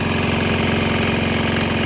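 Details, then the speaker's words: Swan X 165F Chinese single-cylinder diesel running on 100% used canola fryer oil, some diesel likely still in the system: started right up, steady even clatter with fast regular firing beat, no misses; normal running. "But it started right up, so run a little bit longer and see how it acts. This is still the 100% canola oil."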